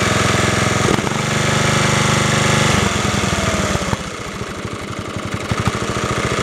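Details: Snapper 30083 rear-engine riding mower, refurbished, with about 15-20 hours of use this summer, started without booster cables or tools. A brief crank, then it catches and settles into an even, steady putt-putt with no knocks or misses; it starts easily and runs fine.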